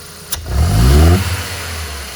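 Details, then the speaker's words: Ford Fiesta Zetec Rocam with power loss and popping traced to an injector: quick hard blip climbs cleanly and settles back to steady idle, no pops or stumbles; revs smooth and even. "a diferença você perceber mesmo a saúde do motor você percebe o giro subindo a rotação subindo né é redondinho"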